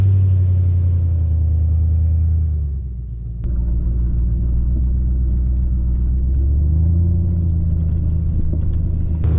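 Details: Jeep WJ Grand Cherokee petrol SUV driven slowly around a yard before the exhaust leak was fixed; deep, loud rumble with a raspy, puffing edge from the exhaust leak.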